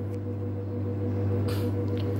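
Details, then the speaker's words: Samsung digital inverter Eco Bubble 8/6 kg washer-dryer in spin-only mode (15-minute cycle) with the drum speeding up: a steady, low, even hum, no knocking or grinding; normal spin cycle. "Now machine is running, spinning, increasing RPM. You can see a little bit because the dark glass. You can hear the noise."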